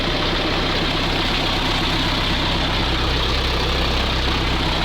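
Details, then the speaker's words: Old ZIL truck crane engine at idle, test-started after a new muffler was fitted: a deep, steady, even rumble with no misses and no smoke. It is not noticeably quieter with the muffler. "Но глушак уже готов, и я думаю, нужно сделать обязательно пробный запуск и послушать, как работает теперь наш двигатель с глушителем. Ну, особо тише он не стал работать."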